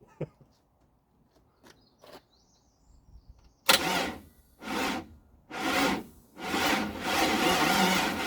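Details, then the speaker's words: 1956 International R180 with junkyard 454 big-block, first start attempt with new battery and distributor: sluggish uneven cranking, barely a turn per second, never catches; owner suspects the second new starter, not confirmed. "hmm still not turning over fast enough really oh pain in the ass well you're gonna have to get another another new starter for this"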